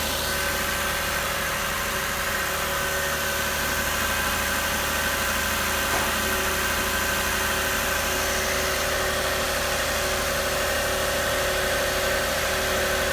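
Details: 2006 Lexus RX330, started after high-pressure power steering hose replacement with the upper intake off and fluid topped up: steady, even idle with no knocks, ticks or hunting; normal idle.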